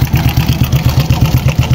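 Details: Honda Wave 100 single-cylinder motorcycle, sat unused while owner was abroad, 2020 battery: loose rattling beat at idle with faint whine; worn bearing rattle, hardened plastic-like oil seal also found.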